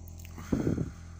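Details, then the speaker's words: Solid-fuel boiler set to 62–63°C: steady deep hum with a brief louder rumble during firing-up, vibrating the whole house for about 15 minutes until it heats up, then runs normally; cause unknown. "вот пока не нагреется такой гул идет что с этим делать не знаю ребята подсказывайте"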